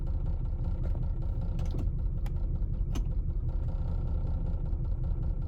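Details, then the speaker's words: 1999 Lexus RX 300, about 310,000 miles, idling with AC off: uneven loping beat with occasional stumbles, worse with AC on; cylinder 6 misfire, owner suspects bad ignition coil as plugs were replaced 9,000 miles ago. "i'm not even having my ac running but it gets worse with my ac running"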